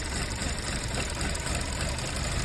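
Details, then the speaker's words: Car idling with intake blocked and oil filler cap open: engine keeps running unevenly with a low rumble for a long time on air drawn through the oil cap instead of stalling, simulating a vacuum leak. "عايزك تبص معايا قد ايه وقت على ما العربيه هتبط كل ده العربيه شغاله على الهواء اللي ساحباه من غطا الزيت"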